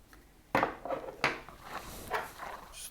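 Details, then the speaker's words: StealthChanger toolhead with newly installed recommended bushings, shaken by hand: a few sharp loose clacks; bushings have too much play, looser than the previous ones. "try another one also rattles around so these are definitely more loose all of them rattle around like the one we pushed in even that rattles around"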